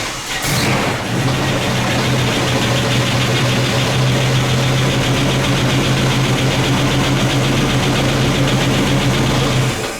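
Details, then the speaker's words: 1973 Trans Am with a 455 V8: a knock developed after a hard burnout and has grown louder. It's a fast, even knock over a lumpy idle at engine speed. Owner suspects a bottom-end or bearing issue, not the valvetrain; unconfirmed. "that's all you're going to get out of me as far as engine knock I think it's a bottom end issue it's hard to tell it sounds like it's at engine speed"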